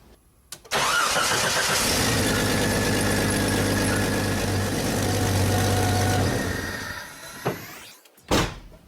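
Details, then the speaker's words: Petrol engine after swapping 1-hole injectors for 12-hole injectors with IXR fittings: it cranks briefly, catches, settles into a steady, even idle and is shut off. A little misfire was possible while air purged. "I'm going to call that a success."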